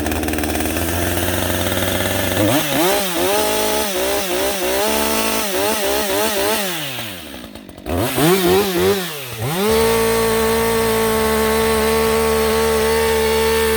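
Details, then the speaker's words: Husqvarna 562XP AutoTune chainsaw with a clean air filter running normally: high rasping engine stutters off the rev limiter, dips, then settles into a clean steady scream after a rip cut let AutoTune adjust. "And you can hear it kind of revving up and bouncing off the rev limiter there and everything. And the RPM's changing and fluctuating just a little bit because we haven't gone anywhere different."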